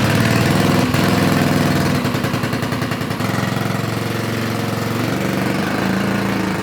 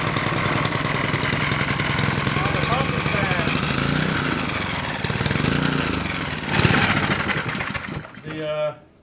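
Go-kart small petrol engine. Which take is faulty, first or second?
first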